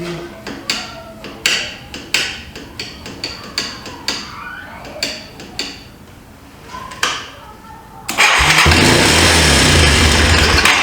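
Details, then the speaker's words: 1995 Yamaha Timberwolf 250 ATV, long sat, after carburetor work, choke on: about a dozen cranking bursts, then fires and races to high revs with no idle; throttle sticking wide open, idle screw possibly turned all the way in. "That is not good. For some reason the throttle is sticking wide open."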